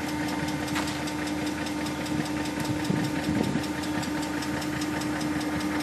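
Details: E38 engine at a steady idle: fast, even light ticking over the engine hum; a ticking noise of unclear origin.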